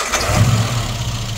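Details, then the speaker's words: 1980s Mini with Swiftune-built 998 engine after tuning (rebuilt carb, needle profiled to AEM, dashpot oil changed): catches quickly and runs strong and even without popping or hesitation; normal start and rev. "we're now running a 530 in this car and I think it sounds uh pretty good"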